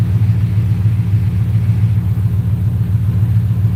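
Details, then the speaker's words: Rose with 4.6 Savage tune, warm, throttle plate reopened, IAC at 42: deep even V8 rumble at 850 rpm, smooth regular firing, AFR as expected; normal warm idle. "Running at 850. Once we can at 850, that's right where it's gonna sit. So we're good on idle right now."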